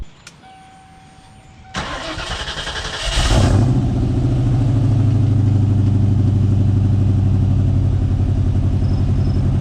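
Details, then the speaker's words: 1995 Ford Mustang GT V8 on a cold start: cranks, catches and settles into a loud, uneven idle that hunts and surges, with a low droning moan; it seems to go away when revved; owner suspects the idle air control motor. "uh not sure what that sound is um idle surging and there's a sound that sounds like um a cow giving bird I read something that said that that might be the idle air control motor since I have been having idle issues"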